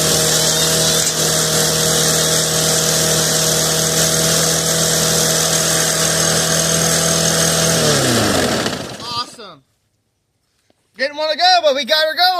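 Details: 2007 Snapper self-propelled lawn mower, hard starter, after priming the carburetor: engine holds a steady even drone for about eight seconds, then winds down and stops.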